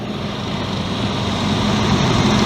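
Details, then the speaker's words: 1999 Ford Explorer after replacing the serpentine belt, tensioner and idler pulley: smooth, even engine hum with no squeal or chirp from the accessory drive; normal idle. "yeah I'm gonna go start it up see the Bell run I'll clean up that I'll run and get some dielectric grease for there you know you'll hold a row make sure they don't fly off that sounds a whole lot better"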